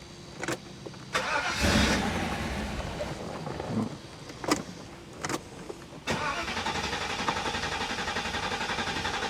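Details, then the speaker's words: 1985 Euro Mercedes 500SEC, fuel drained, new fuel filter and fuel pump; starter cranks in bursts with quick chugging rhythm but engine never catches on its own; only started with throttle plate pressed, cause not confirmed. "i was able to drain the fuel and change the fuel filter the fuel pump and the car cranked over but it only started when i pressed down on the throttle plate"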